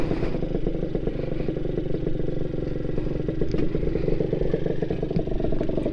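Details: Honda NSR80 two-stroke on a road test after head gasket replacement for coolant entering the combustion chamber (wet plug, stalling, unstable idle): crisp, even buzz under load, steady firing, no misses or knocking; engine now runs healthy.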